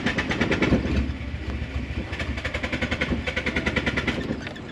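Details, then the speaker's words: Nissan S13 240 that ran out of gas and broke down, new battery fitted: long even starter cranking about six or seven turns a second before finally catching; sounds fuel-starved, fuel pump or injectors suspected. "Uh-oh. Sounds like it's not getting fuel. Okay, it started. It started."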